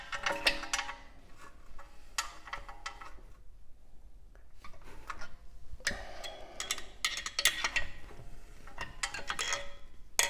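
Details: Irregular scraping rasps and clicks in bursts as the wheel hub is spun by hand with the wheel off; something suspected rubbing the front brake rotor, possibly a rock fallen in behind the rotor; cause not confirmed.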